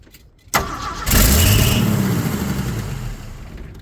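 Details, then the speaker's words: 1979 Ford F150 4x4 with 300 straight six, sitting 4 years, first start with charged battery after checking for hydrolock: brief crank, catches and settles into a steady even idle without knocking; not locked up, has spark, carburetor still needs work. "okay it runs I did not expect [Laughter] that all right well that uh kind of goes without saying that's great it's not still locked up and it does run it has spark"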